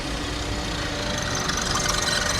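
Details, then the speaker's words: VW Polo with an auxiliary belt squeal, idling after the dragging pulley was replaced while the belt was still too loose. A rough, fluttering rasp comes and goes as the belt visibly jumps. The cause is the loose belt and a worn tensioner; both are to be replaced. "so the noise is still there, but not as bad. It's very intermittent, but that's telling me that that is the loose belt causing it, and we can see how much it's jumping round."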